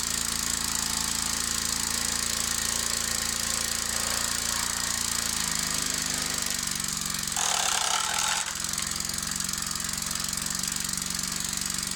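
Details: Old 20-ton Clarke log splitter, roughly 3.25–3.5 hp Briggs & Stratton, with the old carburetor and no governor set up, started outdoors to split logs: fast, harsh running with a piercing screech and a brief rasping burst. Owner thinks something came loose; the cause is unclear.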